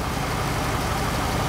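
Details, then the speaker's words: Chevrolet Impala SS LS4 V8 after new plugs, wires and valve cover gaskets, warmed up (it used to chug when cold): smooth, even, quiet idle with no miss or tick; normal idle. "but as you can see this thing's Pur like a kitten now look at that engine he could balance a nickel on that engine"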